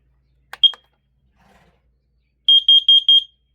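A short chirp, then four quick, shrill beeps at a steady high pitch: the CO alarm sounds properly on test.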